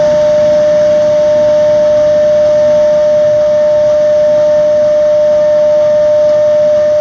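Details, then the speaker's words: Xeikon 5000/6000 drum refinishing machine, recently repaired with new belts and gears: loud, steady bell-like ring at one pitch over a rushing background as the aluminum drum sings mid-pass during sanding, normal. "Now, right about in the middle here, it'll start singing. Take you a few passes to get out all the fused on toner."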